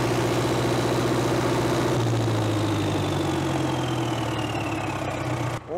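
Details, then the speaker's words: 1970s Cat D330C 4-cylinder diesel generator set (90 kW standby), sat 10+ years, wide open with no load, then shut down: steady high-rev roar, faint whistle sliding down, then cutoff; slight blow-by, barely any smoke; runs clean. "her cool down a little for a few minutes don't really want a runner wide open for too long there's no load on it we got for blow by coming out here nothing smoking just a touch"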